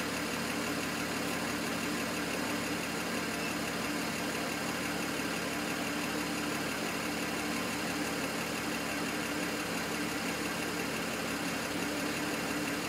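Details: BMW N54 engine logged with IPNA: steady idle hum with a faint uneven stumble, one cylinder seemingly dropping out now and then; misfire at idle.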